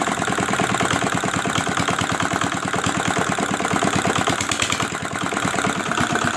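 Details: Old R175 single-cylinder diesel after crankshaft bearing repair and reassembly: crisp, even thump at a steady idle with no knock or rattle between beats; running healthy.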